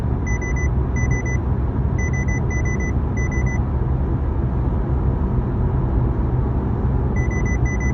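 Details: 2016 Honda Civic: bright repeating beeps in pairs and triples over low engine rumble, pausing mid-clip then returning; warning chime of unknown cause.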